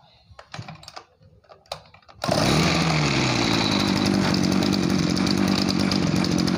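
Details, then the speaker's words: Small two-stroke farm sprayer engine, repaired for weak throttle response, throttle worked by hand, choke off: catches on one pull and settles into a steady, even buzz; healthy start. "rezekinya lancar satu kali tarik langsung hidup ya kita coba Gan"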